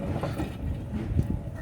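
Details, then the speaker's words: 2004 Lexus LX470, driver-side front hub turned by hand with visible play: a rough, gravelly low rumble. The wheel bearing growl comes from a bearing gone completely bad, alongside a shredded CV axle and worn tie rod. "you can hear all the noise from it i like i don't even have to like say it in anything like you can just hear the noise you can clearly tell right if you know what that noise means"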